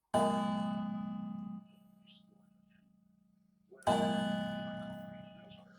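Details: Seth Thomas mantel clock mechanism being repaired: two clean bell strikes about four seconds apart, each fading evenly; striking train working properly.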